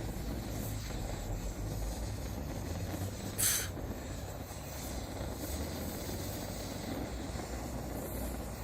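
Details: Primus 70 pressure stove with a newly installed jet, running on Coleman fuel after pressurising and preheating: a steady, even rushing roar with no sputter or surging; burning cleanly and evenly.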